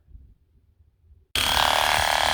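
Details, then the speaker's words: Shear Cordless 12V lithium-ion sheep/cattle clipper after a motor replacement and refitting the switch activator so the lever engages: quiet, then a steady, even high buzz that holds without faltering; the motor now drives the cutting head normally. "Yep. That's going as it should now."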